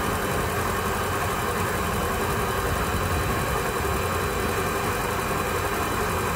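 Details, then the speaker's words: Volvo Penta boat engine in the lake after a refurbished fuel pump was installed and primed: smooth, steady idle with a low rumble and no fuel pump whine; running normally. "sounds like it's running good we don't have any winding from our pump"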